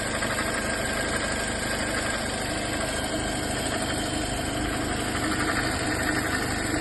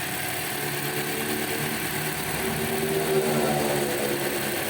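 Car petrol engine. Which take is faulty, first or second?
first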